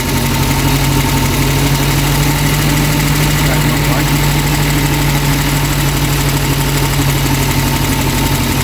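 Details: Reliant Supervan at a steady fast idle after carburettor work. A faint light tappet tick rides over an even hum; the owner suspects valve clearances need adjusting, which is not confirmed. Oil is burning off the exhaust manifold.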